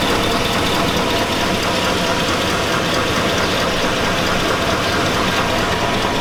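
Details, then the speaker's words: 2002 Chevy Avalanche 5.3L V8. The running engine has a hard metallic clank riding over it, a deep bottom-end rapping. The owner says it sounds like rod knock. "it sounds like rock to me guys she's got that blanket clanking metal Clank"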